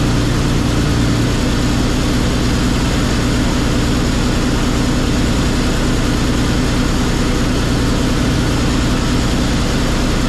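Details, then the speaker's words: Komatsu D85E bulldozer diesel after an injector rebuild and valve set (previously #5 cylinder not firing): it now runs on six cylinders but with a heavy, uneven, lumpy idle clatter. Slightly retarded timing is suspected; not confirmed. "I'm not totally impressed with the way it runs, but that being said, at least it runs on six cylinders now. It sounds like maybe the timing is a little bit retarded."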